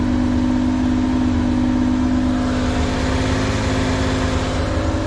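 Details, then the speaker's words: Mitsubishi Kei mini truck, unknown year, sat since about 2021 with old crumbling foam, started on starting fluid, on choke: even, steady idle with a fast regular beat, no misses or knocks; running cleanly on its own. "This thing's been off the road for quite some time. I think the last video we made on this was in 2021, if I'm not mistaken. It's running too good."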